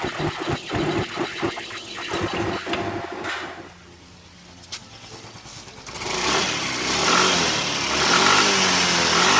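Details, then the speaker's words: Yamaha Mio M3 / Soul GT 125 / XRide 125 at 44,000 km, just after a CVT service with cleaned rollers (still good) and a replaced part. It blips, settles, then pulls with a smooth steady whir, no rattle or judder; normal CVT running. "dan untuk ini udah selesai diservis dan tidak teman-teman dengar suaranya cukup halus ya semuanya"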